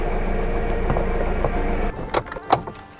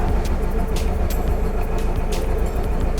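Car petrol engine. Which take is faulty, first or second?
second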